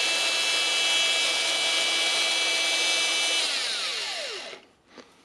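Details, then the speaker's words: Makita DGA452 after replacing the brush holder and carbon brushes: high even whine steady at full speed, winding down smoothly when released; works nicely, no motor burning smell. "It works nice, and of course after replacing the brushes, just smell it to check."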